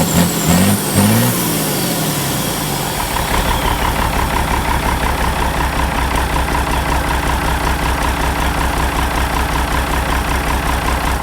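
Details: Ford 5000 tractor with a swapped-in Ford Brazilian 7.8 six-cylinder turbo diesel, restart after first fire-up, long-sat engine burning off water vapor: catches after a short crank, settles into steady even diesel clatter with a low throb; clean idle.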